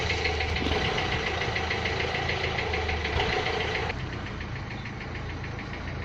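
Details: Renault Clio 3 1.5 dCi 105 hp diesel at idle: sharp, fairly even clatter, about three knocks a second over the engine note, pointing to injector knock.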